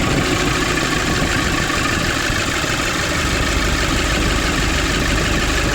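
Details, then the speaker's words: 2005 Nissan Urvan diesel after the pump repair and tightening a leaking pipe: steady, even clatter settling into a smooth idle with no misses or knocks. Normal idle after a one-kick start. "The problem is one hand, but the car now is working fine. It's only one kick and the car is coming on. Everything is fine."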